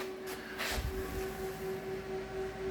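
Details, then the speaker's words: DIY 18650 power bank for an off-grid solar system, first test of 12 V fans with four running at 12.1 volts: steady clean hum at one pitch, no ticking or rattle; normal fan operation. "Good. So there's 4 fans running at the moment."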